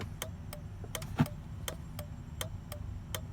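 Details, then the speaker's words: Turn signal and hazards restored after replacing a bad fuse: crisp, even flasher relay clicks at roughly three per second, cycling normally. "so by replacing that fuse then you should have power for the flasher there it is and now you put the flashlight back on and you can hear it click click"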